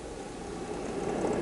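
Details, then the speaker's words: UNI-T UDP3305S linear power supply's own cooling fan after a loaded run, with the electronic load and meter switched off: soft, steady airy hiss with no rattle, tick or whine; normal, quiet, even fan. "so hopefully you can hear the fan noise from the 335s so let's do that and you can just hear how quiet the fan is compared to everything"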